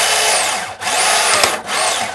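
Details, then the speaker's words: Iron Man exosuit 3D-printed gearbox reassembled with silicone grease and spacers: high even motor whir rising and falling, no banging; much smoother than before, though some noise remains. "Well, it sounds a lot smoother. It doesn't sound like I've got that terrible banging sound."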